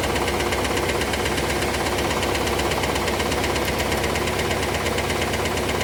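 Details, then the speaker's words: IROC Camaro V8, which had glittery oil, idling; busy fast ticking with a heavier irregular clack underneath near three per second. The source is not pinned down yet. "This thing sounds like a clock factory going off inside. There's so much ticking and clacking going on. But try to listen in for that clacking noise that you're going to hear underneath the ticking, because it is there."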